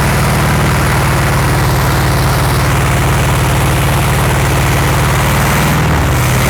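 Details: 1960s VW Beetle 1500 air-cooled flat-four petrol, unstarted since 1973, 8000 miles, first run after storage: deep steady throbbing idle with even firing pulses, a little coarse but holding on its own.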